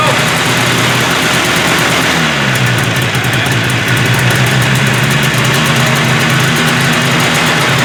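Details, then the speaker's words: 1978 Arctic Cat Jag 340 snowmobile, rear lifted, first run after the motor was pulled for low compression on one cylinder: it catches into a fast, even two-cylinder buzz with no misses; slightly smoky, carbs still need adjusting; normal running. "yeah and she sounds good she's ripping on two cylinders"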